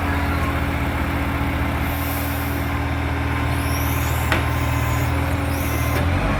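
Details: NAWMA FOGO 3520 diesel truck: a loud rumble with a quick, rough puffing tick that follows the engine, plus air-brake hisses, suggesting a large exhaust leak (not confirmed).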